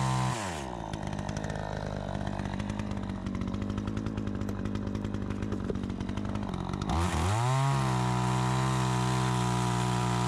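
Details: Troy-Bilt 20-inch chainsaw after carb adjustment: a steady pull through a long cut with an even, slightly lowered drone, then a snap back to a clean high rev. It is healthy and runs like a new saw; the owner may retune for more RPM.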